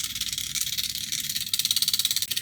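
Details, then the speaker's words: Air-conditioner expansion valve on a test PCB, 12 V coils driven at about 19 V (set to 24 V), supply drawing nearly 400 mA: quick even crisp ticks about eleven per second, fuller pulses from higher voltage; stepper pulsing normally. "sentite come si sentono gli impulsi più corposi con una tensione ovviamente più alta."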